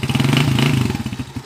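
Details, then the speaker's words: TMX155 single-cylinder motorcycle on a road test after repair (piston rings, valve seal, knuckle bearing, battery replaced; it was said to kick back before): crisp, even firing pulses that slow smoothly off throttle, running very smooth. "Yun o, napaka-smooth pa rin o."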